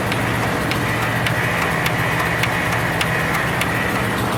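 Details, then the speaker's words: Cold start of a machine with 579 hours, sticky starter and a battery that goes dead when sitting, added fuel pump: steady cranking drone with faint ticks about every half second, never fires; cranks, no start. "Seems like every time I want to video this one, it don't start."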